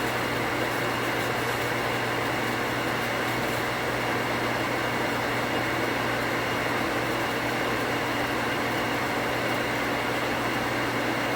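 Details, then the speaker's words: 240V water pump after pressure switch rewire to a new switch cutting off 10 psi higher: steady even low motor hum with no clicking or rapid on-off cycling; contacts activated at 45 psi, chatter gone. "what i'm expecting it to do is to come on build pressure and turn off without chatter so far so good"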